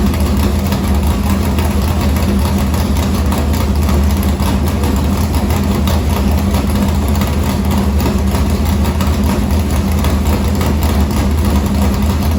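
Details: Morgan Machine-built V8 race motor (about 358), EQ heads, likely an Edelbrock Victor Jr two-barrel intake, 85 carburetor, started after sitting a week and a half with fuel line unhooked: steady lumpy idle, deep even beat, no knocks; normal.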